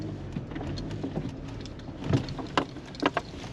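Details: 2011 Chevrolet Malibu LT at 152,982 miles, after repair for customer-reported grinding noise while driving: slow reverse roll with only faint tire crackle and light clicks, no growl or grinding; wheel bearing quiet and healthy.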